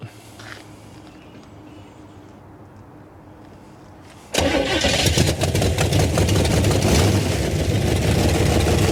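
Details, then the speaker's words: 1968 Camaro V8 sitting since 1999, cold first start with fuel poured in the bowl: quiet cranking, then it catches and revs roughly and unevenly; owner suspects a dropped cylinder from a holed wire, or the secondaries opening. "it didn't run long enough to get hot yet so still cold let me check these this wire's got a hole in it because it sounded to me like when i revved it up it was dropping a cylinder or maybe that was because it was trying to open these secondaries"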